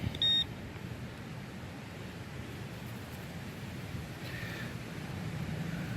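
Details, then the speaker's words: AT Max metal detector with sniper coil in trashy park ground: one short clean high beep, reading 80-81, then quiet hiss with faint chatter; suspected shallow penny, which was then dug. "I kept moving and I kept pinpointing another 80 and 81 so I suspect I've got another penny down here and I haven't dug it out yet"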